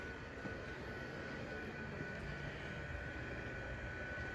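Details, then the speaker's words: Inflatable decoration blower after replacing the fuse cartridge in the plug: steady, even fan rush with no surging, rattling or pulsing as it starts to inflate; blower running smoothly. "I don't know if you guys can hear it over the video, but I'll get a... You can see it's already starting to inflate."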